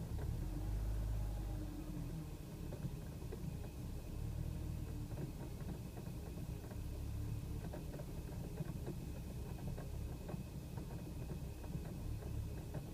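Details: BMW E90 about 28 miles after Chevron Techron Concentrated Plus: low, uneven idle with irregular stumbles and shakes, minor idle misfires; also coughy acceleration from 2500-4000 rpm at times, and the owner expects it to return.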